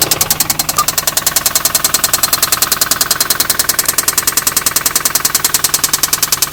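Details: 2004 Infiniti G35 that developed a lifter tick; the shop found extensive gold-colored metal shavings in the oil, and 1000 miles after repair: loud, very even metallic knocking about three and a half beats a second at idle; serious internal knock, cause undetermined.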